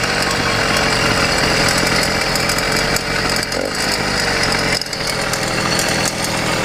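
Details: YD100 two-stroke motorized bicycle engine with a ramped piston; once hot, a rough uneven metallic rattle rides on the buzzing engine, absent when cold; piston hitting the cylinder head.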